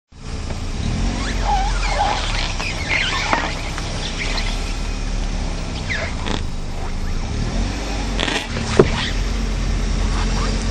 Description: car tyres rubbing the kurb and making squeaking noises as it rubs 16 DSCF0797tr.wmv